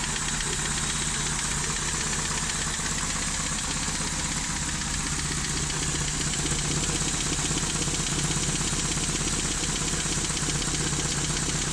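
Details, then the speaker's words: 1988 Toyota Hilux 5th-gen pickup idling a few minutes after start; steady idle with uneven stumbling sputter about four times a second and revs dropped roughly 20-30%: rough idle, cause unknown. "it does kind of sputter as you can hear it and the revs have dropped slightly maybe 20-30 percent since I just cranked it up a few minutes ago"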